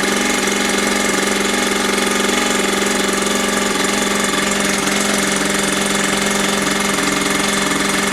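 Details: Mini dirt bike found in a skip, after priming and idle screw adjustment: steady high buzzing two-stroke note, even rhythm, no stumbles or rattles; running cleanly.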